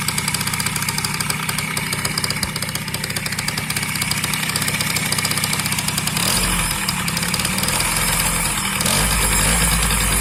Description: Застучало что-то в двигателе yamaha bws 50.